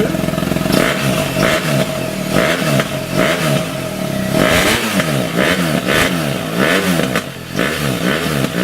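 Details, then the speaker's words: BMW R1200GSA boxer with newly fitted Lextek SP8C Sport Carbon exhaust, bike stood a while: repeated throttle blips rising and falling cleanly with a deep exhaust bark, fairly quiet; normal revving. "That's actually quite quiet. I can speak to you over the sound of the exhaust."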